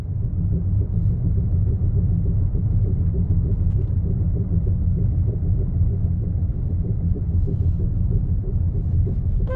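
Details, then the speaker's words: Car with 57,000 km, no crash damage, driving slowly about 10 km/h on flat road: steady rhythmic clunk with wheel rotation from front wheel area under chassis, caused by loose front wheel nuts. "nó có một có tiếng kêu Lộc cộc lọc đọc là tộc ở phía cái giàn khung gầm ở phía cái bánh trước nè nè"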